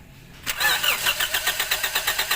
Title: Toyota vios, hard starting, crankshaft sensor problem